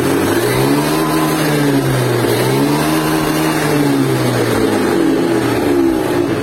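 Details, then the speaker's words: Honda Beat 2017 scooter after sensor replacement to cure stutter and power loss around 20 km/h: engine note climbs smoothly and drops on repeated throttle blips without hesitation; throttle response now normal. "dia masalah itu udah sembuh karena sensornya udah diganti"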